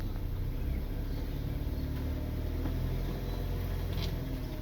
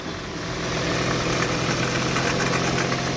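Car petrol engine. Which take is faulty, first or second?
second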